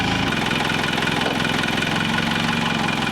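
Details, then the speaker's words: Military-grade forklift, first start after refitting rebuilt hydraulic tilt cylinders: engine catches quickly and settles into a fairly steady idle with a rough chug and no misses; normal idle. "Got the keys, got some power, hopefully enough power. Let's see what happens. Wow, that started right up."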